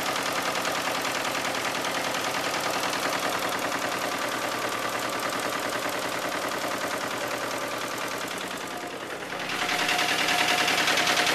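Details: 2000 Isuzu Trooper 3.5 L petrol V6, 140,000 miles, idling with a loud, rapid, steady knock, louder on one side; oil half a quart overfilled and an upper front oil leak began with the knock; no oil pressure or check engine lights.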